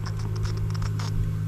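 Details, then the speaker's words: Fuel pump from a swamped Sea-Doo jet ski that sat for years, bench-tested on a battery: a steady low electrical buzz with no spin-up whine because the impeller is locked up; freed later with a pick. "it's buzzing I can see the little little impeller down in there and it was trying to spin but it's it's locked up"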